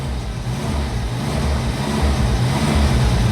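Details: Jeep Wrangler YJ that died while driving, no start; after fitting a new crank sensor and then a new ignition coil it starts, runs and revs freely with an even low throb, no misses; coil was the fault, normal running.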